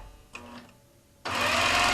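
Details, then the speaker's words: Gammill quilting machine with IntelliStitch Turbo cl in constant speed with motion detection mode: quiet until the machine is moved, then a steady even buzz at one speed; stops when movement stops, and stitch length varies with movement speed. "this is not regulated stitching it's constant speed so i need to keep moving to keep my stitches even"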